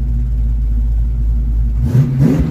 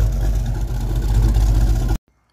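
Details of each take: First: 1982 Ford Mustang GT, cold start after new factory-style tailpipes and added clamps: a low, even idle with one quick rev, no puffing, ticking or rattle from the exhaust. Normal exhaust note. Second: Mustang V8 on cold idle after fitting new factory-style tailpipes: deep lumpy rumble with faint ragged crackle, louder at lower idle, then shut off; passenger-side exhaust leak.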